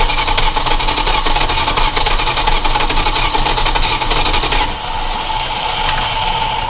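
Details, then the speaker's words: Parts truck being readied for a road trip, carburetor and distributor just fitted, fuel poured in: long, steady cranking that never catches; no start, with doubt over whether there is spark and a possible vacuum leak suspected. "You sure we're getting spark, huh? I got I mean, it started to kick off. Sounds like you're getting spark, but are you sure you're getting spark?"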